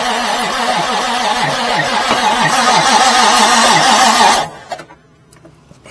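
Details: 1989 Marmon truck diesel, engine possibly needing a rebuild, fuel solenoid open: slow, laboring crank at about three to four turns a second that never catches, then stops. The starter overheats. Slow cranking, no start; starter too weak.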